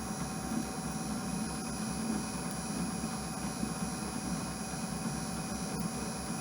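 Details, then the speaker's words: Clausing/Harrison M250 lathe on carriage power feed, slowed to 52 rpm after the feed clutch popped from going too fast, same setup. A steady drone with constant whining and no clunks or chatter: normal power feed cutting. "so same setup same everything i just downshifted the speed and it seems to be working out just fine"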